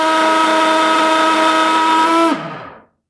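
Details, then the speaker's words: Mixer machine (mixer grinder) switched on: loud, high-pitched motor whine with a harsh buzzing edge that holds steady, then drops away when switched off; excessive noise problem before repair. "तो यहाँ पर आपने सुना कि यह कितनी ज़्यादा आवाज़ कर रहा है।"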